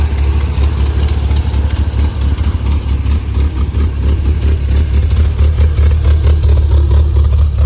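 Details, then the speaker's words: Rebuilt engine in a 1981 Toyota Pickup 4x4, first runs after rebuild, Weber 32/36 carburetor and performance cam: deep, loping idle with an uneven chop about twice a second, steady; healthy idle with the hot cam. "I also forgot to mention that this motor does have a performance cam in it so um yeah you're gonna be able to uh hear it so I'll show you guys what the motor sounds like"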